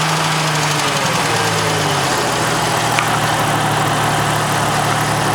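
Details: Jeep Cherokee XJ 4.0, 200,000 miles, cylinder head overhauled 40,000 miles ago, manifold gaskets replaced: light, quick tick only at 1500–2000 rpm, cold or warm, seemingly from the right side away from the lifters; cause unknown.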